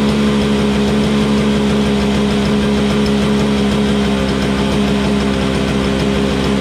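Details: Toro Snow Commander two-stroke snowblower, running after refuelling with 50:1 TruFuel; loud steady buzz at constant pitch without surging or sputtering; it just needed gas.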